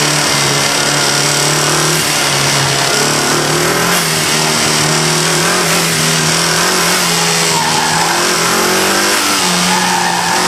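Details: Engine recorded with a microphone in the engine bay revs up and down with hard, rapid knocking beneath it; a bad lifter was first suspected, but it turned out to be a failed rod bearing and cracked crank.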